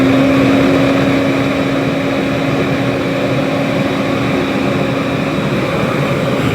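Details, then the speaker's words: 1977 Hoover 427 cylinder vacuum cleaner, near mint, first switch-on cold from the garage; steady whirring motor with constant mid tone and even airflow, no rattles, expected to purr better once warm; normal running. "not too bad I think she'll Pur a little bit better when she's warmed up a bit"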